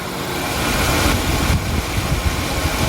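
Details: Used Genesis G80 with the engine bay open: a steady, even low rumble at idle with no ticking or knocking. This is normal, healthy running; no plug or injector problems.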